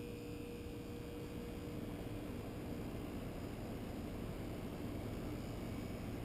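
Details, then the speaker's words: Brand-new American Standard Platinum 20 SEER heat pump just started, replacing a 12-year-old unit; soft, even low hum and airy fan rush with faint tones, no knocks or rattles; running normally. "believe it or not the system is running it just fired up and much much quieter than that old 12year heat pump that was in here"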